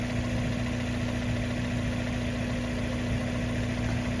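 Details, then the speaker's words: 1994 Mazda Miata after winter storage idling smooth and steady, no misses, ticks or hunting; throttle stop, idle speed and timing were recalibrated the previous year. "but she's running real smooth you know all the stuff i did what was it last year when i recalibrated the throttle stop and the idle speed and the timing"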